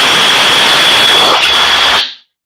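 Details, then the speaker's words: Cordless drill on a warm battery, after shutting off in cold weather. A strong, steady high-pitched whine at full speed for two seconds, then a clean spin-down; it runs much faster than when cold. "that's fast so much better that is so much better"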